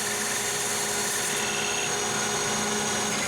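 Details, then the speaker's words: Lathe turning heat-treated CrMo 4140 steel at the highest speed used: steady hiss with a faint high whine and no squeal or chatter. Finish is so smooth a fingernail feels nothing, like cutting aluminum; clean cut. "it looks like we're cutting aluminum that is a I cannot feel anything with my fingernail"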